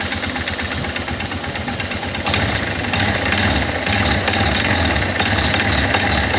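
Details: Guerrero 250 ATV on acceleration: engine picks up revs partway with a harsh, uneven rattle over the exhaust note; source not pinned down, abnormal noise on acceleration.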